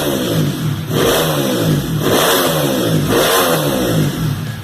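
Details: Honda Titan motorcycle engine built to 230cc, rebuilt after a noise complaint (wear found in cylinder area): strong, even revving rising and falling cleanly three times with no knock or rattle; engine sounds healthy after reassembly.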